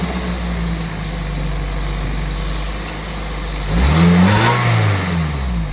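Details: Toyota MR2 Spyder test start right after a new belt and pulley install: steady, even idle with a smooth low hum and one clean rev that settles back. Owner suspects a small intake vacuum leak, unconfirmed.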